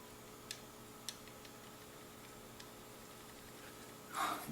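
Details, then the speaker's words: AEG V3 airsoft gearbox being shimmed blind, after screws tightened: sparse light ticks as gears turn, just touching; mesh slightly too tight, shim removal considered. "check tightness okay good i can still hear it hit that's pretty close"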